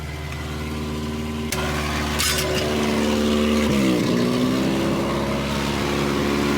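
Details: Junkyard-repaired Volvo 240 just started cold on a 20-degree day: cold, high-ish idle with a loud raspy puffing chuff over the engine, like an almost open downpipe. A bad exhaust leak.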